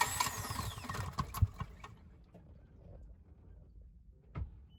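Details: Sailboat diesel's first start after a part replacement, before leaving Salcombe for Falmouth: starter spins briefly, catches at once, then a quiet, even idle with no knocks; healthy start.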